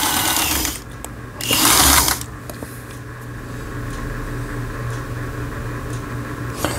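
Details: Elna 318 sewing machine (same as a Janome model), repaired after the whole machine had seized from a jammed upper cam-follower gearbox; running disassembled, internals only. Quick, even stitching clatter over a steady low motor hum, no grinding. Runs normally after repair.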